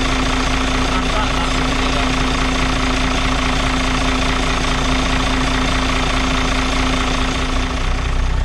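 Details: Loud, steady diesel clatter at even idle with a constant hum on top on a Dart bus, running cleanly again after running out of fuel and bleeding the fuel; air suspected getting in somewhere.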